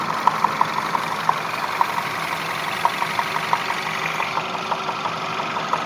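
Steady idle with a sharp light tapping about three times a second, uneven in spacing; a knock from inside the engine, cause not yet pinned down.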